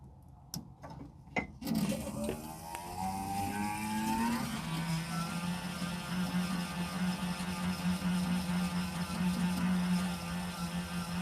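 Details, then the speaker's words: Suburban IW60RL on-demand water heater recirculation pump in a 2021 Alpine RV, after repair and air bleeding: brief rising whir at start, then a steady, even low hum with no surging or pulsing; pump running normally. "We're going to plug the pump in. You should hear the pump turn on. It just won't surge like it did."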